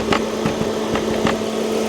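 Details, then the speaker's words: Abandoned 1997 Volvo 850 T5 turbo, idling: electric cooling fan comes on with a steady, even hum over the idle, no rattle or scraping; cooling fan works as it should. "maybe the wiring no it all looks good cooling fan works like it should"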